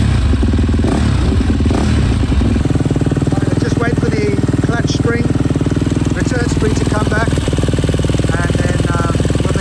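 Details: Freshly rebuilt KTM 250 SX-F single, run outside after oil top-up: catches after a couple of seconds into a crisp even idle without knocks or misses; no water in oil, runs virtually flawlessly; normal idle.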